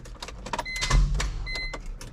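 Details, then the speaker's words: BMW E46 M3 with 1.5JZ swap, first start attempt after jumping the EWS security module: a few clicks and short whirring clunk, starter engages but engine doesn't rotate; starter suspected. "that is a little weird that it just wasn't moving. At least it's wanting to activate the starter. That's weird though that it's not moving."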